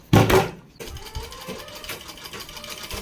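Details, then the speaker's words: Sewing machine running smooth after repair: noise was coming from under a cover held by two screws, suspected thread or debris there; opened, cleaned with cloth, parts checked to turn freely, screws refitted loosely. Light, even stitching beats with no knocking or grinding. "पहले हम दोनों screw को हल्केहके लगा लेंगे देखिए हमारी machine कितनी smooth चल रही है"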